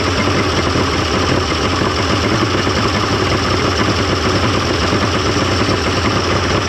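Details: 1995 Mercury 200hp XR6 Blackmax outboard, after timing adjustment and clearing carb jets: loud even burbling idle, no misses or surging; runs much better than yesterday, normal idle.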